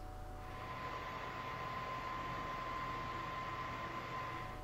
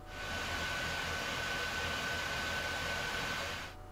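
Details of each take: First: PS4 Pro early model after replacing the stock fan with an aftermarket fan: soft steady airy whoosh with faint thin tone, no rattle or roar; fan now quiet and healthy. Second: Early PS4 Pro under load with stock fan, before replacement: loud steady rushing air with constant thin whine that never eases; cleaning and new thermal paste didn't help, replaced with aftermarket fan.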